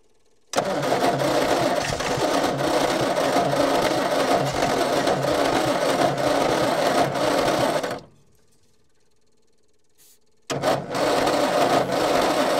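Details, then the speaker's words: Old petrol Bedford tip truck (owner guesses early 60s–mid 70s), sat 10+ years, cranking with an extra earth on the starter braid. No quicker: slow, laboured cranking about four turns a second, a pause, more cranking, never fires. Owner suspects a lazy, probably Lucas, starter or bad earths. "I'm just going to try this and see if it spins over quicker. No quicker at all."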